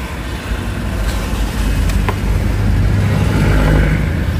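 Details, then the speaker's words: 2013 Toyota Vios with an alternator/charging problem, just after start with a battery meter attached: a deep, slightly lazy rumble as the idle sits below the 800 rpm it should hold. Low idle speed. "Kailangan kasi guys nasa 800 yan. Yan, mababa pa minor."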